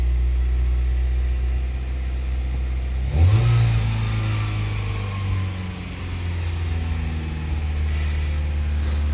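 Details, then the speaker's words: Mk2 Golf fast, slightly uneven tick-over with a blip that hangs high; misfiring and idling high for about a week, owner first suspects an air leak; later traced to a faulty coolant temperature sensor. "The Golf's been misfiring and idling high for about a week or so, and what I'm going to do first is check for an air leak, because I think that will be the #1 cause."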